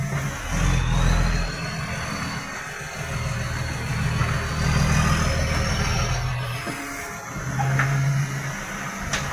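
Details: Diesel truck with massive exhaust leak: heavy rumble with loud, raspy blatting from the exhaust that rises with throttle, making it very loud.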